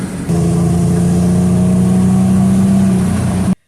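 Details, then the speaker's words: Jeep Grand Cherokee, about 200,000 miles, after fixing misfire with codes P2305, P0302, P0052; steady even hum, constant low tone, no stumbles, smoothest it has run since owned, normal running. "This is smoother than it is ran since I've owned it. This is about the smoothest it's ran since I've owned it."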